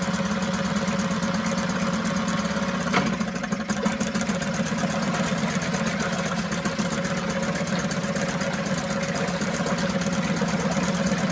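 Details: 1974 Mercury 4 hp single-cylinder two-stroke outboard in a test tank: even, buzzy note holding steady with no stumbling or surging; runs cleanly, like a top.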